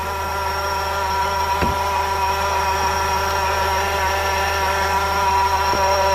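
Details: 2006-or-later Honda Civic 2.0L at idle: steady high whine that holds without pitch change; stethoscope bar on the pulleys points to the AC clutch or AC compressor, with the alternator also audible; cause suspected, not confirmed.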